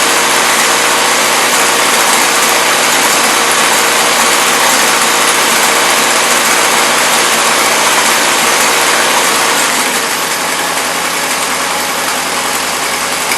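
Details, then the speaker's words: 1977 Toyota Celica: loud hissy idle with busy slightly uneven beat, then settles lower; carburetor loading up (rich), considered junk and probably to be swapped; no blow-by or smoke, small exhaust leak. "i'm not sure why the carburetor is loading up but then again you know i knew it was junk"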